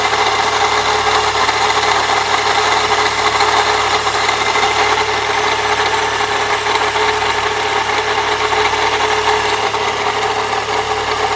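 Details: 1998 Saturn SL2 DOHC at idle: constant gritty grinding rasp over the engine note, not worse with A/C on, gone when run without the belt; idler and tensioner pulleys already replaced, source in belt drive still unidentified.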